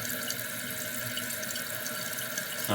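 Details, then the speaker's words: Kohler canister-style flush valve toilet after new seal installed: steady hiss of tank refilling, nearly at top, no trickle or leak into bowl; seal holding, normal refill. "So once it refills again, it'll stop. You'll hear it stop because it's almost at the top. Yep. So it'll stop right there, and of course you don't hear any water leaking."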